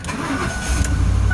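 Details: 2004 Lincoln Navigator after fixing a no-crank no-start caused by a dead starter solenoid (starter itself fine): brief quick crank, engine catches at once and settles into an even low idle; starter and start are healthy.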